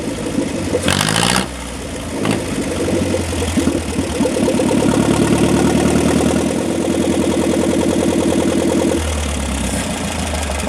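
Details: Long-dead John Deere 1010 that sat for years, first start after carburetor rebuild and points and coil testing. Cranks, catches quickly and settles into a steady, even idle with a light rev, no misses or knocks. Normal idle; small coolant and power-steering leaks noted.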